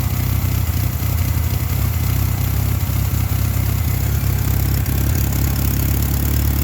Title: 2.5 lima rough idle troubleshoot